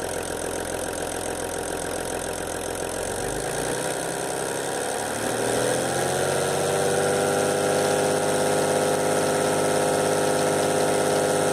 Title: VW LT 28, Motor S1 Motorgeräusch (Vakuumpumpe)